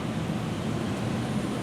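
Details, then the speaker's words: Basement air handler running on Generac standby generator power, zone 1, refrigerant hissing: steady, even airflow rush with a low hum, no knocks or rattles; running perfectly. "Yep, and the air handler itself is running perfect."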